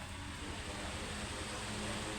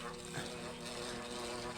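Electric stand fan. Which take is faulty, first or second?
second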